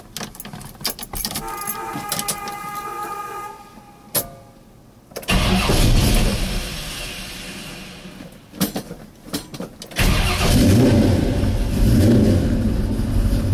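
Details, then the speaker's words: 1971 Chevelle SS with a 383 stroker (425 hp) V8 and automatic, from inside the car: starter cranks briefly, the engine catches and settles to an even idle, then blips up cleanly; healthy warm-up with no knocks or ticking. "Again, it sounds fantastic. We'll go back and hear the exhaust. Engine runs great. And no knocks."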